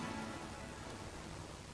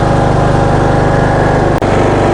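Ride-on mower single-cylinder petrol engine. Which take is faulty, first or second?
first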